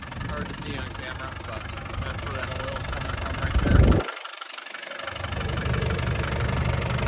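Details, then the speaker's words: 1992 Land Rover Defender 110 200Tdi idles with even diesel clatter and a brief muffled dropout; it fires right away when cold, so the glow plugs work, and the motor runs real smooth. Normal idle. "Because this thing does fire up right away when it is cold out. So the glow plugs are working. Voltage meter, temperature gauge, fuel gauge, all working as well. Motor's running real smooth."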